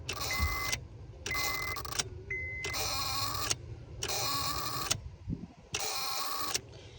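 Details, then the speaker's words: 2003 Honda Accord, no crank: five harsh buzzing bursts from the fuse box area, one per key turn, as the starter relay chatters; the cause is worn ignition switch contacts, to be fixed by replacing the switch contact unit. "evidentemente es el el relay del Star el que hace ese problema ese ruido pues podríamos pensar que el relay se está quedando pegado pero el problema va a estar aquí en esta pastilla del switch"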